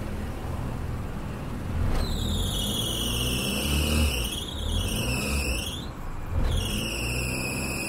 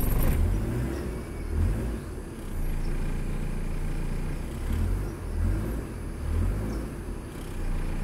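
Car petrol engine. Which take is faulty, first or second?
first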